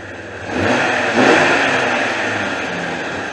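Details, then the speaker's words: 2001 Jeep Cherokee Sport 4.0 six-cylinder running with the accessory belt removed: blips then settles into a smooth, even hum with no knock, so the knock is not internal; power steering pump found failing. Normal engine running. "sounds like a really good running uh 4-0 so it's not it's not an internal engine problem"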